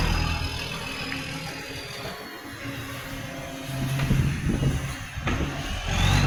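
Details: Garbage truck with a massive exhaust leak making it very loud: heavy, raspy diesel with rough low chuffing that swells as it pulls away.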